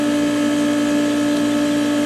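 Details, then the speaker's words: Loud steady mid-pitched hum with strong overtone, unit vibrating, sound not right; owner suspects a bearing, not confirmed. "So there is a vibration. We are heating. But the sound is not right."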